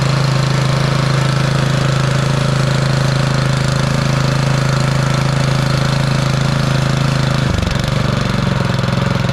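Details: Bolens (MTD-built) snowblower with Powermore 179cc single-cylinder engine, after freeing a stuck intake valve that caused popping and no start; on choke it fires a steady even beat, then settles to a lower smooth run with no popping, running normally.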